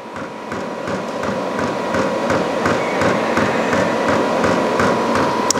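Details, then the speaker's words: Vevor portable diesel heater about a minute into startup, still blowing cool air before ignition: steady fan hum rising slowly with fuel pump ticking near three per second, speeding up; normal start-up. "the fan is ramping up the fuel pumps speeding up sounds like it's working"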